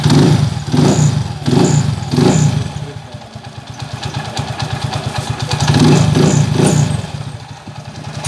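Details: TMX155 single-cylinder motorcycle after overhaul, transmission set replaced for rough first and third gear and loose crankshaft bearing: throttle blips then an even, steady beat with no knock or rattle, running healthy.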